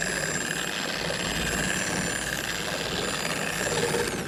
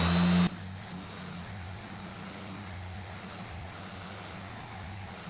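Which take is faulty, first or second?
first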